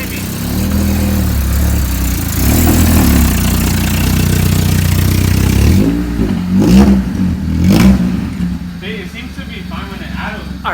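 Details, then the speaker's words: Honda Civic EG with freshly swapped used D16Y8 engine, first start: revs fall back unevenly with ragged stumbling note before dropping off; misfire blamed on faulty distributor, to be replaced since engine ran perfectly in donor car. "what my plan is is to get another distributor hopefully out of the junkyard another b7 and then I'll just plug it back up and hopefully we'll just run because you heard there at the end like the car runs but it is sputtering a bit"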